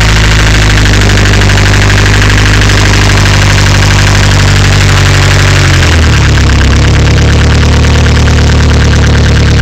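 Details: Nissan CA18DET engine at idle, harsh metallic rattle over a loud idle as revs settle; source unknown.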